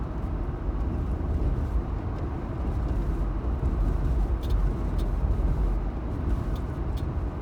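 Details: Jeep: random intermittent faint sharp clicks over heavy road rumble while driving on a slightly bumpy road, seemingly from the driver's left side; first heard in a rainstorm, also on smooth roads and in a parking garage, absent for days or weeks.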